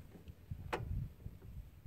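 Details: Craftsman LT2000 riding mower with Briggs and Stratton engine, after hitting a stump that stopped the blade and stalled it with black smoke and fuel smell; on choke, blade disengaged: quiet even cranking thumps about twice a second, no firing; sheared flywheel or crankshaft suspected.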